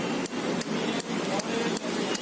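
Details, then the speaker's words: Two-wheeler (Xtreme) with a dead self-starter, pressing the start button: the relay under the seat near the battery clicks two or three times a second with no starter whirr. The relay works, so the self motor is the next suspect. "చూసారు కదా, tuck tuck tuck tuck అనే sound వస్తుంది. Self కొట్టినప్పుడు ఆ sound వస్తుందంటే ఈ relay అనేది వర్కింగ్లో ఉన్నట్టు."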